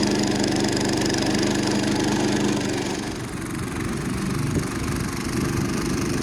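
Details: Roughly 70-year-old National reel mower's small single-cylinder engine labours heavily and unevenly, then the beat breaks up and drops off near stalling while trying to mow after its stuck reels were freed. Overloaded, and the owner wonders if the flywheel came off.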